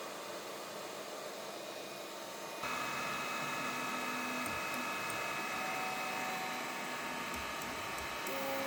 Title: ELEGOO Neptune 4 Pro 3D Printer , scratching plate and weird noise, printing issues and more